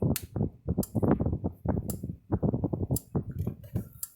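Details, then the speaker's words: Blitzer 75 Mile EAC75M-BL fence charger after repair, powered up: sharp ticks about once a second, pulsing normally, putting out almost 7,000 volts. "You see a little light clicking now, flashing I mean, and you hear the unit clicking."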